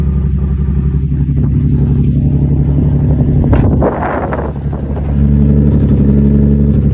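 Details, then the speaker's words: Nissan 350Z drift car running with a loud, uneven exhaust note and a stumbling, lumpy beat that never smooths out as it revs; misfire traced to two cylinders whose spark plugs came out soaked in gasoline, root cause not yet found. "It's like kind of doing it. So I thought it was like a misfire or something."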